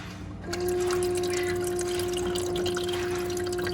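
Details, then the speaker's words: Igloo ICEB26HNAQ countertop ice machine running its self-cleaning cycle with a water and bleach solution; pump hum starts after half a second and holds steady over trickling water, normal circulation. "You don't see it doing much. You can hear it cycling water through the things."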